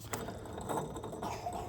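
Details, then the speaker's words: 2015 Chevrolet Tahoe V8 with grinding bearing noise cold or hot; belt removed, water pump spun by hand: dry gritty ratcheting rasp instead of smooth spin; worn water pump bearing, tensioner pulley fine. "I think it is safe to say that the water pump is my problem. Yeah, definitely the water pump."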